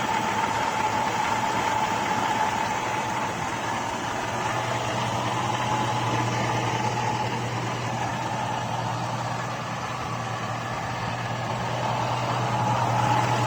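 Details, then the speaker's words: 2002 Chevrolet Avalanche 5.3 LS V8 after swapping Comp Cams Evolution lifters for stock GM lifters, 5W-30 synthetic, hood open: steady idle with light quick faint top-end ticking; new lifters bedding in and getting quieter, noisier as oil heats. "foreign so anyway there you have it uh I think they are getting just a little bit quieter as they run in"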